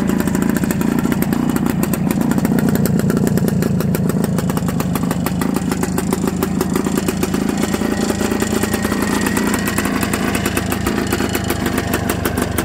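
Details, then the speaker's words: 1974 Suzuki TS250 two-stroke, 9000 miles, sitting 37 years, running after carb clean, new plug and aftermarket fuel valve, started on choke: rapid, even, crisp ring-ding popping; runs clean. "now this bike has 9000 miles and by the way this bike is a two-stroke you're going to hear that right away here and let's choke it up here"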